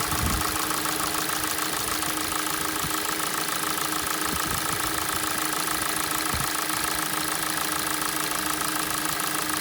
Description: Стук в двигателе на холодную g4na по мере прогрева, стук проходит.